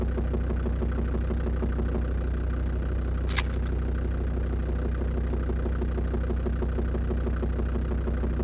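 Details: Land Rover Defender Td5 diesel idling after radiator work, mic at the snorkel where it seems loudest: light, fairly regular tick about three per second over idle; suspected hydraulic lifters or exhaust manifold, unconfirmed.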